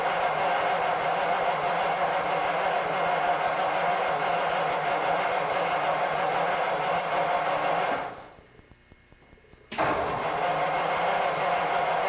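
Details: 1950 Cadillac on a hot August day, won't restart after a grocery trip: starter cranks at a steady even whir, pauses briefly and cranks again, engine never catches; flooding or vapor lock suspected, not confirmed.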